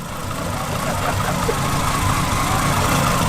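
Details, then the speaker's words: Renault Clio, only just got running last week after ECU issues, no turbo fitted yet; steady, even idle with smooth low rumble and no knocks or misses, though it's missing something (the turbo). Normal running. "Right, so the Clio is running, as you can hear, but it's missing something."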